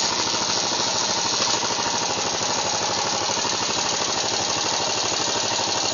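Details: Yamaha XT 600E motorcycle riding in 3rd and 5th gear: harsh rapid rattling grind over busy high-pitched engine drone, steady throughout; gearbox grinding noise, cause not pinned down.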